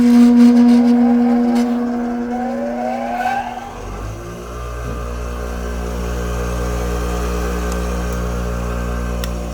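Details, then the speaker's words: 20-year-old grinder: a higher motor tone winds down, then the old grinder spins up to a steady, noticeably loud low hum with a rough edge, compared against a quiet new grinder; loud running noise. "so now this is my old grinder is a little bit loud because this is 20 years old believe it or not so I'm going to turn it on and you'll hear the difference"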